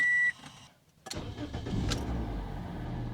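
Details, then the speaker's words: 2007 Toyota Corolla after electrical repair (suspected alternator, blown fuse, previously dead instrument cluster); short chime, brief crank, catches right away into low steady idle; starts easily, normal start, later charging 14.13 V. "starts right up. Idling really low there. That seems good. All my accessories are working. The car is running. Started easily."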